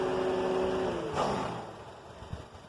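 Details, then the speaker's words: 2008 Honda Civic EX blowing warm air: engine running with A/C on, gauges show restriction, low side drops then spikes back too high for ambient; steady mid-pitched drone fades, then short rough burst of noise from the compressor. "But I don't know if you heard that noise coming from the compressor"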